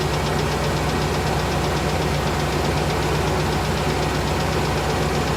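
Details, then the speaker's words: 1998 GMC Savana 5.7 V8, cold start at about 29°F, past three minutes warming: fast even light ticking over steady idle, good oil pressure, no service engine light; owner suspects valve train tick, better than before. "i can hear the tick it's definitely better than it has been so i'm hoping for the best"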